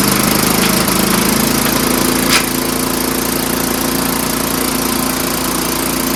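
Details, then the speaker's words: Craftsman vacuum (likely), small single-cylinder engine, magneto kill wire just disconnected; buzzy steady running with one brief click midway, starts and runs fine — engine works. "Cool. Well, I guess we answered that question, huh? Works."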